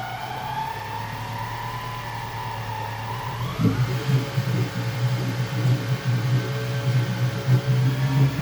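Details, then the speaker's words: Yamaha F150 outboard, both port and starboard engines: an oil-starved balancer gear whirs and squeals, rising with revs and peaking around 1500–2000 rpm. Balancers assumed original; fix is upgrading to the newer oil-jet version. "that whirring noise you hear is the balancer gear that's not getting enough oil and that's why it's squealing like that"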